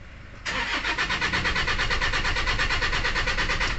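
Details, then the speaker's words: 2008 Toyota Innova 2KD diesel, no fault codes, complaint of no start, auto shutdown, fuel knock and low power: cranks and fires roughly at about three beats a second, won't settle and stalls; injector fault with low rail pressure. "start yan umaandar observe lang natin ha Ayan so talagang mamamatay mga calbaryo"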